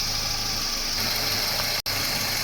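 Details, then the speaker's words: Toyota Wish after AC system flush, new compressor bearing, belt, oil and AC unit, engine idling with AC on: steady, even hum and hiss, no grinding, quiet versus noisy before repair; normal AC compressor operation. "เสียงเครื่องยนต์เสียงการทำงานคอมพิวเตอร์อยู่ในเกณฑ์ปกติทุกอย่างนะครับ"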